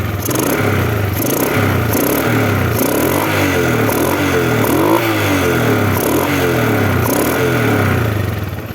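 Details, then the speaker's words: 2005 Suzuki Smash motorcycle, kick-started because of a weak battery: small single revs up and down in regular, crisp, even bursts with no knocking or rattle. Normal running. "Aman, mesin juga halus. Lihat suara mesin ya. Mesin juga masih halus ya."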